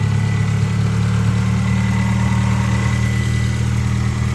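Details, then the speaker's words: 1991 Plymouth Laser four-cylinder, unregistered since 2015, started easily and idling in neutral; steady, even low idle with no misses, knocks or shake, running smooth and healthy. "everything is running smooth over here it's not shaking or acting weird"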